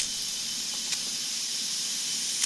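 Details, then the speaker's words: Nissan 240SX S14 KA engine with stalling issue, boost leak test with engine off at about 5-6 psi: steady high-pitched hiss and sharp puffs of air escaping at an intercooler piping coupling, suspected cause of stalling. "I can already feel air coming out of there blue sleek baby let's see that's 5 psi"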